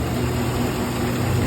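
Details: Chevy Silverado 1500 5.3 L Vortec 4x4 after repair of a flashing check-engine misfire, with cams, all hydraulic lifters and a broken timing chain tensioner replaced: smooth, even low idle, no ticking or misses, no check-engine light.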